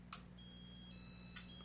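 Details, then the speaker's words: Late-80s Casablanca Four Seasons Inteli-Touch 48" ceiling fan whose reverse had not worked for a day: a sharp click, short high piezo tone, then a second click; reverse relay switching normally. "The relay clicked."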